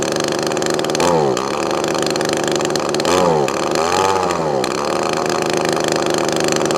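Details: Echo ES2400 leaf blower two-stroke on a replacement HIPA copy carburetor (high-speed mixture screw only): uneven buzz surging up and sagging back when blipped; carburetor mixture out of adjustment, needs tuning.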